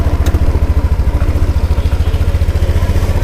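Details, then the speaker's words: 2017 Honda PCX scooter with 30,198 km on it, engine at idle: even, steady low putter, no misfire, rattles or ticks, quiet from the side, no white smoke; soft, healthy normal idle. "แล้วบางเสียงเดินเบากันนะครับไม่มีเสียงแตกปลอมนะครับเสียงนิ่มๆเลย"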